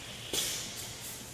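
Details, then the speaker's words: Hunter Pro-Spray pop-up sprinkler body on a riser in a 100 psi water-and-air surge test, sudden sharp hissing screech as water rushes through, then easing; normal, no failure after 20 cycles. "you can hear the screeching water is it's pushed through the body so quickly"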